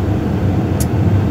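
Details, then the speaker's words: Brand-new Lennox attic furnace back up and running, 54°F outside, after the inducer draft motor was replaced; rubber sucked into the inducer had stopped it and may have warped the wheel. Steady low roar from burners and draft fan, no rattles. Normal operation. "we're back up and running it's 54 degrees outside here in Southern California so to us that's cold"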